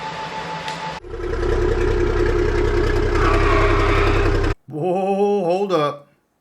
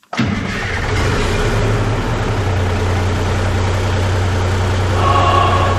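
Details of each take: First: 5-ton crew cab truck build, finally running: steady, even diesel idle with a deep, smooth exhaust note and no leak puffing or ticking; healthy idle. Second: 5-ton crew cab truck on 24-volt batteries, first start in 6 months: catches on the first try, then a loud, raw, even diesel beat with no muffling, running with no exhaust fitted.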